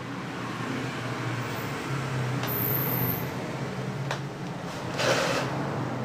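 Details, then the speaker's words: Suzuki Bravo (RC100) two-stroke after carburetor service and combustion chamber cleaning, restarted after failing to run: an even, steady buzz with a low drone and no misfires. It idles normally. "Semoga motor Bravo ini ya, Bravo atau RC100 dapat hidup kembali. Ayo kita hidupkan ya teman-teman."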